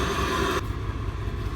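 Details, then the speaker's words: 1988 Acura Legend, first start after sitting 10 years, with used ECU and new fuel pump: rough, lumpy, stumbling idle, whole car shaking like a tractor, reluctant to rev. Misfire likely; fuel filter and tune-up planned. "toàn bộ xe rung âm thanh giống như một máy kéo"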